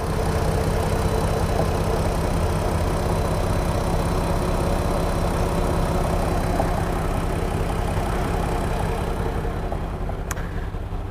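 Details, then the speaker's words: Mk5 VW Golf R32, timing chains reading 1 on the computer (new-chain level): smooth, even low idle with no chain-side rattle or scraping and no exhaust popping; healthy engine. "so we know this is a good engine because it reads number one on the computer so have a listen to"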